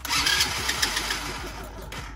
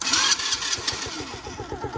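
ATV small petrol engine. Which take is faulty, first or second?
first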